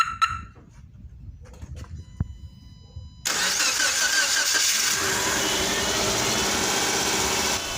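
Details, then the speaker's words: 2009 Subaru Impreza first start right after a replacement engine was installed (the old one was suspected of rod knock). It catches at once and runs steadily with busy top-end clatter, expected to quiet once oil pressure builds and coolant settles. Normal start-up. "yeah I definitely like how this sound right so once the oil pressure comes up and the coolant goes way it's supposed to go you know the vehicle is going to sound much quieter than this right"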